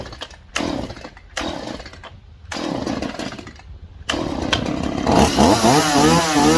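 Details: Stihl MS 180 chainsaw after carburetor replacement, with fresh fuel: a few hard pulls, then it catches and revs cleanly into a steady, even buzz; normal running.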